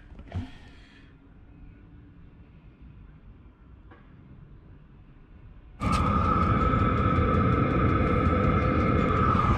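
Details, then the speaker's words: Chinese diesel heater at full power after fitting an Eberspacher silencer with stainless piping: steady even roar with mild hum, about 67 dB versus 72 dB before, lower pitch, concrete floor echoing; normal healthy running. "okay so that's the diesel heater on full power and it's showing an average now of about 67 decibels remember last time we did it it was showing 72 so that's five decibels different"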